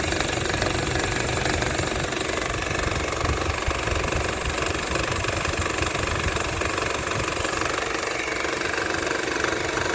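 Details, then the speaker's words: 2014 Honda Civic idling: steady rapid knocking, about four a second, rides over the idle and gets better when the AC is turned off; owner wonders about an engine mount, cause unconfirmed. "When I turn off the air, it gets better. I don't know if it's an engine mount."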